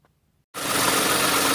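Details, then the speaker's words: Engine fires and settles to idle with a rattly clatter and a faint steady tone from the belt area: worn idler/tensioner pulley bearings on a 2008 Toyota Sienna minivan camper, before replacement. "Eventually, over 100,000 miles, it will wear out. If you listen carefully, you can hear that clacking noise."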